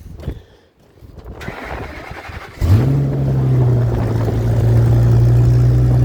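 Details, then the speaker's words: 1965 Ford C850 truck with added automatic and overdrive, cold start after sitting about a week: brief crank, catches and holds a loud steady high idle through the warm-up cycle; normal cold start and fast idle. "It's loud when it fires up and goes through the warm-up cycle. It rigidens it up, obviously, because it's cold."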